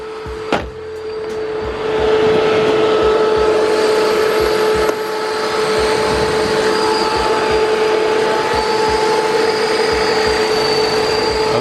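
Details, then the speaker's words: BMW E46 M3 after a few minutes of driving, then idling, with the Mishimoto fan controller rewired and a second temperature probe added after a relay had blown: only one fan is on, giving a steady, even whooshing hum. Normal fan operation. "All right, so I've been driving for a few minutes now, and let's go ahead and see if the fans are on. Oh, I think I can already hear them."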